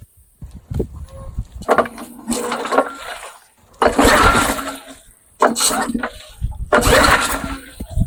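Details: Old Sears Craftsman Eager 1 mower with Tecumseh engine, carburettor and exhaust on same side, air filter just installed, smoking off; loud, uneven exhaust bark in bursts as it catches and settles, running fine.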